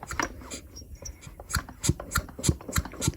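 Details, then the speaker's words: Stihl MS 210/230/250 chainsaw, opened during oil pump repair, hand-cranked slowly: soft puff with each piston stroke, about three a second, the transfer compression that drives the fuel pump; normal crankcase sealing. "esse flop flop é a compressão de transferência É isso mesmo que tem que acontecer se não faz esse barulhinho não dá esse sopo ele tem algum problema"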